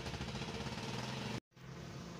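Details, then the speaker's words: Suzuki DA63T multicab K6 engine with hard starting and stalling on the road: rough lumpy idle that suddenly cuts to silence, won't restart immediately and needs rest; fuel pump relief valve not holding pressure suspected. "So yan, namatay siya guys. Pagkadirekta natin yan paandarin, hindi yan aandar."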